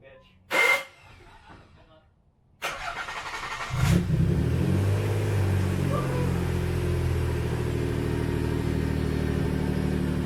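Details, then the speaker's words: 1991 Nissan 300ZX V6 first start after fixing a misfire from a cut ignition harness, shorted power transistor unit and popped ignition coil; cranks briefly, catches cleanly and settles into a smooth, even idle. "that sounds like my car let's go guys"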